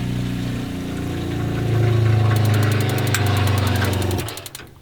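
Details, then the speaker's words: Drifta DOT WUHT camper water system: small pump drawing from external drum and priming, steady low hum then cuts off cleanly; normal pump run. "so the pumps primed and suppressor pumps are turned off and weak in there we're now filling all right you can hear the pump running"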